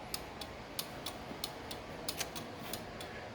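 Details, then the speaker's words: 1979 Lotus Esprit with new custom wiring, left blinker on stalk: crisp light clicks about 90 a minute, quiet background, from flasher relays built into the fuse box; turn signal flashing normally. "Now that it's the flash relays are right here. Blinkers and hazards, and then the horn relay is right in there."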